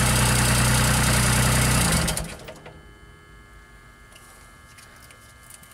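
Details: JLG 260MRT baby scissor lift engine, starter recently replaced: even idle about two seconds, then dies to silence with light clicks; stalls within 10 seconds, a bad connection suspected, unconfirmed.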